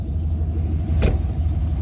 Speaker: I told you once it gets warmed up a little bit, it runs a lot better.